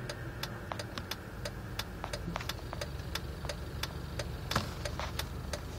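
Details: Jeep at idle: quiet idle with sharp irregular ticks and an unsteady low beat that never settles; engine idling rough.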